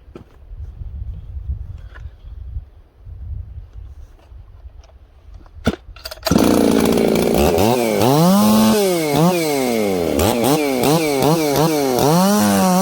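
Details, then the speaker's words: Ported 1983 266 chainsaw making a test cut after warm-up: revs blubbery and slow to clean up at low speed; low-speed carburetor mixture running rich. "wow you guys can hear that this thing's a little rich on the bottom end"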